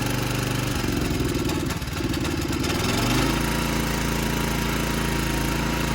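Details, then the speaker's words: 1960s–80s Montgomery Ward lawn tractor single-cylinder engine with shot engine mounts, thumping unevenly and misfiring/shaking at low revs with a loose knock; owner thinks the cover moving in the shot mount causes it, wants a new plug. "Something knocks real bad when it's like revved low, but I think it's just that cover like moving around in the shot mount."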